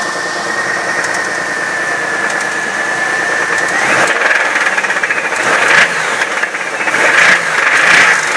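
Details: 1997 Chevrolet Camaro with 3800 V6, bad motor: steady light tapping about four per second over a rattly idle, sharper hits later; knock deep in the engine.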